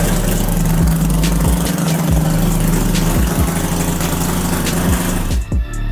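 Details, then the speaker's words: Three-rotor Mazda RX-7 FC drift car, first start after sitting with a new turbo fitted: deep, choppy, lumpy idle holding steady without stumbling or misfire, music over it; started first try, normal rotary idle. "holy crap that's wild it sounds even crazier than before i can't believe like it just it turned on it turned on first try and it worked"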